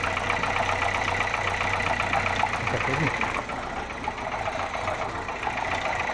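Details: Toyota Corolla 1ZZ-FE engine: steady idle with a faint quick knocking on top at roughly four per second; a knock inside the engine.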